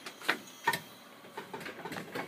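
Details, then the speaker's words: 1971 Dodge Challenger converted from Holley 950 EFI to EZ-EFI self-tuning system, key on, engine off; a few sharp clicks then quieter ticks: normal fuel pump priming and injector cycling. "can see this so you can hear the fuel pump of the injector cycle"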